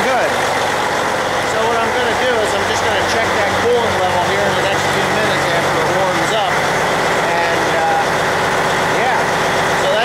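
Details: Diesel truck after water pump replacement, idling while warming up; no water or oil leaks, fan belt correct, steam is coolant and likely oil burning off exhaust manifold. Even clatter with no misses, knocks or surging, background chirping; healthy idle.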